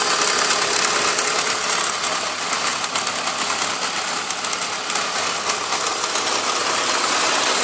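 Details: BMW E46 at a steady idle with a light, fairly quick tick, about three per second, sounding harder than a healthy engine; the owner says the noise isn't normal, cause unclear.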